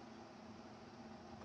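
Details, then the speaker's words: Fairchild 539A record cutting lathe, replacement servo motor at 16 2/3 RPM, after adding a silicone tape dampener to a resonating coupler: low, steady, even hum with no droning or rattle; resonance noise gone. "The point here is that the noise is gone, and it doesn't come back because there's a dampener now on that one coupler."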